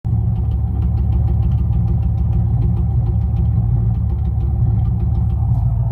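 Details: 1994 Camaro LT1 V8 idling with an uneven, stumbling rumble and irregular puffs: a misfire from a burnt-through spark plug wire, fixed by rerouting the wires.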